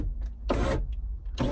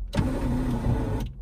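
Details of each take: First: Ferrari 308 passenger-side electric window motor: two short, strained whirs as the glass creeps slowly, because the window is binding as it travels; the glass may be skewed, and lubrication and grease are planned. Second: Electric window motor on an 1980s Ferrari 308, passenger side: a brief smooth whir of about a second at steady pitch, no grinding or stalling, as the glass travels normally.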